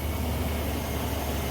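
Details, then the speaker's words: 2003 Chevy Silverado 5.3 V8 from a rollover, started outside with plugs loosely back in: catches straight away, steady even low rumble, smoking but no ticking, knocking or misfire; normal start and idle. "I tell you what, though, it fired right off. Yeah. And it, no ticking, no knocking, no nothing. That sounded good."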